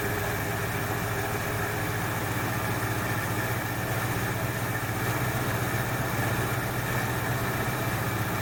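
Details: 1968 Ford Fairlane, flooding carb fixed: even, steady idle with a regular low thrum and no skips; sounds better after correcting a line hooked up backwards; a plug or two suspected fouled from rich running.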